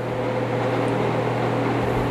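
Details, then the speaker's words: Dayton 2MA11 24-inch ball-bearing fan after swapping in an 8 uF capacitor, spinning about 900 rpm, mid 50s to low 60s dB; smooth, steady quiet whir with no ticking, rattle or grind, normal running. "this thing is yeah about 900 rpms maybe a little less and you can probably hear it's not quite that loud"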